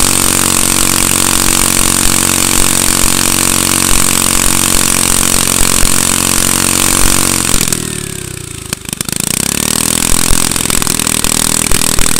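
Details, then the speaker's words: Manco go-kart with a Honda small engine, started without starting fluid or choke, chugs at a steady fast idle, dips briefly around eight seconds, then recovers evenly; slight smoke, possibly from leftover oil or dirty fuel. Kill switch not working. "all right sounds like it's working out pretty good so um now that we know it starts"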